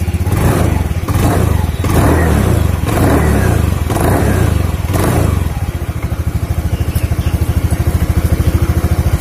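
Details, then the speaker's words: Honda Beat scooter after pulley/CVT drive service, which previously made a crackling "krek-krek" noise from the pulley area; reassembled, started and revved: clean throttle blips settling to an even idle, no crackle or rattle from the drive, normal revving. "Oke Kang Bro, ini sudah saya pasang ya. Terus dipasang kabeh. Sekarang saya akan coba nyalakan. Halus."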